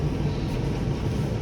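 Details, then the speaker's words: Newly installed diesel heater in a van, zip-tied directly to the frame, just fired up after priming and bleeding fuel-line bubbles, clicking stopped: low, even rumble with soft steady roar, no clicking or surging; normal running, surprisingly quiet. "surprised it's that quiet actually for the way that you mounted it, because it's just zip tied right to the frame."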